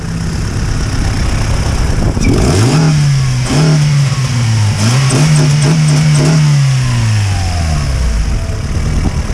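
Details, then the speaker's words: Honda Civic with a rebuilt, tuned JDM B20B (GSR head, Skunk2 Stage 1 cams, adjustable cam gears), just started on a chilly day: crisp revs up from idle and back down cleanly, no knocks or misses; sounds strong. "All right, it's alive, baby, it's alive."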